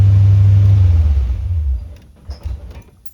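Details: 1971 chrome-bumper C3 Corvette idling too high, with a squeaking alternator belt. After the key goes off, the low rumble fades over about two seconds, then a few weak puffs follow: mild dieseling run-on.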